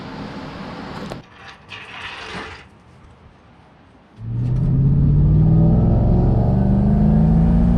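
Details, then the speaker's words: 2003 Mustang Mach 1 test drive after Moser Engineering rear axle repair for vibration and rear-end noise: engine note climbs smoothly pulling away, no whoop or rhythmic drone from the rear; seems better than before. "And just like that, we are back. Nice little successful drive."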